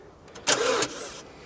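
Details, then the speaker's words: MINI race car with a dead battery, key turned before jump-starting: a brief, feeble whirr from the starter, then nothing, and the engine never turns over or fires. "so we're gonna jump the car because it's dead so chris go ahead give it a start for me to show everybody that it won't start up"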